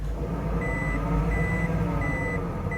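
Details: 2009 Toyota Prius, front right wheel raised, emergency brake on, in drive with light throttle: low, steady growling drone from the spinning wheel with a repeating beep; louder right side indicates the bad front wheel bearing.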